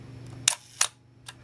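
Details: Minolta SRT 200 35mm film camera body, shutter fired at 1/4 second: two crisp clicks, opening then closing cleanly; healthy slow-speed shutter, mechanism in good condition.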